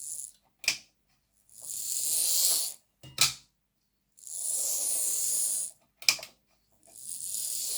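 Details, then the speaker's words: Lima Class 55 Deltic model locomotive after cleaning, on test track: short runs of high, buzzing gear whir with sharp clicks between, noisier in reverse than forwards. A mismatched, different-coloured drive gear is suspected, later replaced from spares. "It's a wee bit noisier in reverse than forwards. I'm still a little bit suspicious about that different coloured gear."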